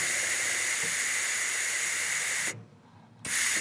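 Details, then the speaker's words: Hobart Ironman 240 MIG gun triggered in the air without welding, nozzle held by the microphone; the wire run-in feature gives a steady gas hiss for about 2.5 seconds, then a short burst on trigger release; normal shielding gas flow. "The other thing that it does too is it'll flow gas for the time period that the wire is running slowly, and then it'll cut off the gas supply when the wire speeds up."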